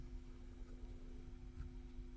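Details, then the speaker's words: Marshall 1987 50 W head (2002 reissue), previously frying-bacon noisy, after PCB board reinstalled and resistors properly fitted: low steady hum, faint even buzz, no crackling or frying; normal quiet amplifier. "so we've got this board in and uh we've got it switched on and it seems very quiet"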